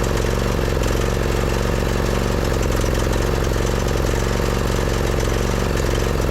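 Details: Husqvarna YTH2242, Briggs V-twin with a push rod problem, new spark plug fitted and spark present: lumpy, uneven low chug that never smooths out, one cylinder dead; plug ruled out, coil still suspected, push rod fault later found.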